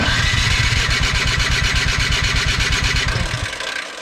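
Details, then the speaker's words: Craftsman 24 in electric-start snow blower, long sitting: steady cranking that never catches; spark confirmed with tester, so fuel problem, clogged carburetor. "now I know the camera is not picking it up perfectly but it is flashing perfectly so obvious viously we have spark it is a definitely fuel related problem"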